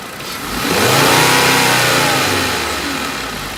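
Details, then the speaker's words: 2011 VW Golf 2.5 automatic, recently replaced coils, being checked for a vehicle shake (suspects CVs or engine mounts): hood open, free revving in neutral with no load. It revs up smoothly and returns to an even idle without stumble; the engine runs fine. "the engine is sitting fine yes I mean the engines not really doing but I mean again there's no load on it obviously"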